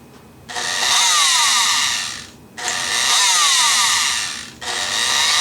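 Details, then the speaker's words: Rockwell Sonicrafter oscillating tool: high buzzing motor cuts out and restarts about every two seconds, speed wavering and not holding the selected setting; faulty speed control circuit with a cracked resistor and bad solder joints. "so it's a little flaky so yeah we gotta it seems like we got a flaky speed control uh it's not uh when you turn it to a setting it's not holding it at that setting so"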